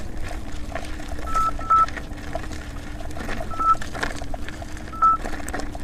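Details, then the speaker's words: Nikola electric unicycle climbing hills: short high double beeps every second or two over riding and wind noise, the overcurrent warning set at 90 amps pulsed through the motor; the wheel later burned up with blown MOSFETs. "every time you hear that that means there's ninety ninety amps as being pulsed through the motor and it's it's being stressed anyway"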